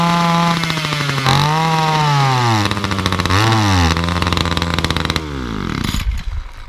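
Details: Titan multi-tool hedge cutter two-stroke, cold start after priming: screaming note sags and wobbles whenever throttle is opened, revs falling until it nearly dies; bogs cold, warm or half throttle; carburettor suspected, cheap replacement carb to be fitted.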